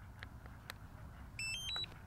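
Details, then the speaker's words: DJI Mavic 3 drone and remote powering on: soft button clicks from short press then long press, followed by a quick three-note rising electronic chirp, a normal successful power-on. "short press long press and then i can hear the drone and then you hear the little the beeps there so now our remote and our drone is successfully turned on"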